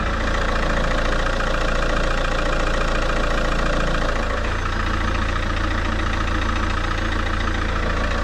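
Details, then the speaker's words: Opel Vectra C diesel idling: steady high whine over the clatter from a failing power steering pump, which also jams and drops assist when the wheel is turned hard; pump being replaced. "Today I will finally replace this power steering pump because it is whining"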